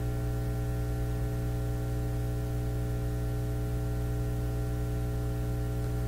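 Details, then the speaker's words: Nordmende Elektra F13 tube radio warming up, grid voltage being monitored; steady low mains hum with buzzy overtones that changes, suspected from a possibly defective power supply. "sounds like a power supply on it it's changing that could be defective too"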